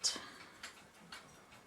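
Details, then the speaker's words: c1921 Friedrich Mauthe Schwenningen (FMS) musical carriage alarm clock under repair, with bent pallet, pallet pin, fork, speed adjustment and hairspring, not yet staying running: four ticks in two seconds with uneven gaps; balance still out of beat. "so you can hear it maybe I can hear it tick it's not an even tick so I'm still not in the where I need to be on"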